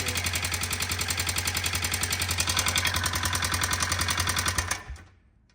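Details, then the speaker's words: Honda FourTrax 300 quad, started with choke, smoking, idle turned down; sharp regular tick three to four per second over idle, felt at the top end. Owners suspect the intake valve or something slapping under the cover, unconfirmed. Top-end tapping noise. "Fired right up with the choke on and off. It's a little noisy. Smoking in. Let's turn the idle down. Now that it's down, it kind of sounds like it could be the intake valve."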